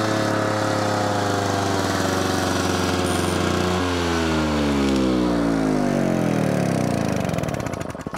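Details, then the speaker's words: Victa edger after carburetor rebuild with float and needle refitted, set to run position; engine runs steadily then note sags and wavers before dying, owner suspects fuel starvation or flooding, losing speed and stalling. "so there is a problem with it still and that is when you put it on all the way down here on to run um it's either having a fuel starvation or a flood one or the other it sounds like it sounds like a fuel starvation to me"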